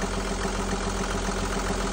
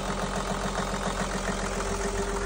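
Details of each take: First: Perkins marine diesel that ran out of fuel from a failed low-pressure lift pump, now replaced and bled: even idle with a steady beat around seven per second, no stumbles or misses; running cleanly. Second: Perkins marine diesel just restarted after lift pump replacement and fuel bleeding: low idle with a light, slightly uneven knock of about three or four per second, from a little air still in the fuel system; no smoke.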